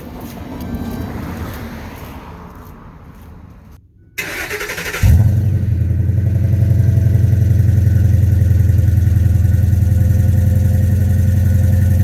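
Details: 2009 Ford F350 V8 after fitting a new Flowmaster muffler: after a brief quiet stretch it fires and settles into a deep, steady, even burble with no rasp or leaks; much quieter and better than before.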